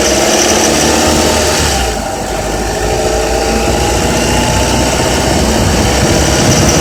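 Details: Honda Accord with K24Z3 engine holding steady at 2200–3000 rpm: dry metallic rattle riding over the hum; source not identified.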